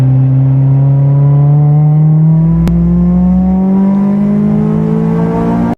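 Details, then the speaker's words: 1993 Honda Del Sol after fitting a $30 Amazon muffler, road test under hard acceleration toward 8,000 rpm and VTEC; smooth tone climbing steadily through the gear, no drone or rasp, healthy and fairly quiet. "even when you crack open into VTEC, it's still not screaming loud like this is nice. This It sounds really good. Sounds now more like a respectable sports car, you know? It's not like super raspy, super like winged."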